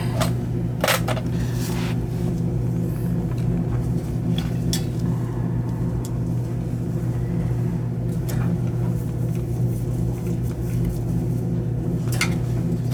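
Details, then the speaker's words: Gas boiler with pilot that would not stay on, burner fired with jumper on two-stage valve after checking pilot orifice: steady low roar, no popping, sputtering or dropouts; normal burner operation, pilot then stays on. "Alright, this is not gonna hit, so we'll fire it up. Put it on and see. Alright, she's opening. Fire it up. Two-stage valve."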